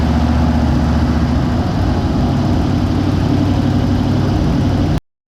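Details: 1956 Ford Fairlane V8 garage find, first start in 35 years after carburetor rebuild: even, steady low idle burble with no misses or knocks, then shut off; sounds healthy.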